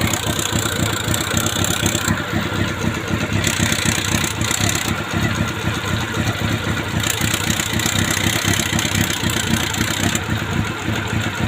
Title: CB400 PB1 ENGINE RATTLING NOISE